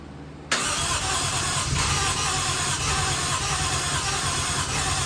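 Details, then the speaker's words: 1JZ-swapped RX7, first start after Radium fuel rail and fuel pressure regulator install, no leaks: fires with a sudden roar, then rough, stumbling and won't keep running, sounds like it wants to pop off; cause unknown. "It fires a couple times and just doesn't want to run, so I don't understand what's going on."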